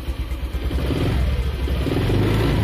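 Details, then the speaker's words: Honda Vario 125 scooter that wouldn't start because rats chewed the wiring; after repair it fires with a few quick blips and holds a steady buzzing run, starting and revving normally. "nah oke Ini udah hidup sudah mantap ini hidup ini nah"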